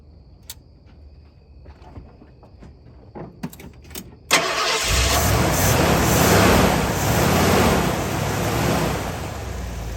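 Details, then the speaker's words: Rebuilt Ford 302 V8 with an Edelbrock first-step-above-stock cam, back in the truck with timing set for first start: a few light clicks, then a steady, even rumble with no knocks or misses: running pretty good. "all right maybe if I stand next to the camera I can talk so there you see it's running pretty good"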